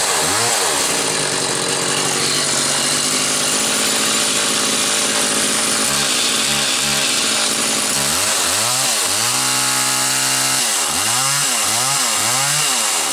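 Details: Homelite Super 2 SL chainsaw test run; crisp two-stroke note blipping up and dropping cleanly back to idle several times. Normal running.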